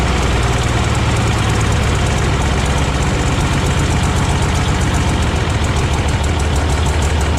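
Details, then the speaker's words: 1957 Autocar truck, first start after 15 years in storage, warming up: deep heavy idle with steady thump, still slightly uneven and rough; owner suspects dirty injectors, possibly not all cylinders firing, expects it to smooth out. "so she's running now she's still running a little bit rough but not bad I think probably it's got some dirty injectors"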